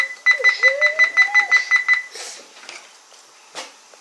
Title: Beeping sound on toshiba Satellite p745 - s4320